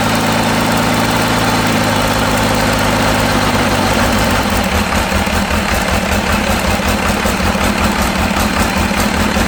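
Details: Cummins engine for C40 truck build: idle starts fairly even then turns lumpy with uneven chuff and stumble, sounding like one cylinder down; owner suspects cylinder 5, which tested low on compression, about 325.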